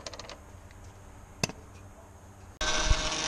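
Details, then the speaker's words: 2004 Honda Pilot after new reservoir, new O-rings and Honda fluid refill, engine cold, front wheels raised, reservoir cap off: loud steady whine with a hissy edge from the power steering pump; air in the system, to be bled by turning the wheel. "as you can you can hear our power steering pumps making quite a bit of noise right now so what we're gonna do we've got the front wheels off the ground and the cap off the reservoir so we're gonna go ahead and crank the wheel back and forth then I'll pull all the air out of the system"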